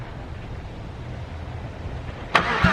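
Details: VR6 being revived, with fuel pressure now present and the return line disconnected to check flow back to the tank: low, steady cranking churn with only a brief cough near the end. It cranks but never starts.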